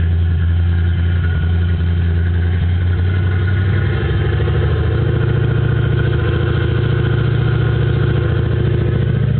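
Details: 1995 GT V8 with cam, idling: choppy idle climbing and settling high with steady low hum; fixed by replacing the idle air control valve.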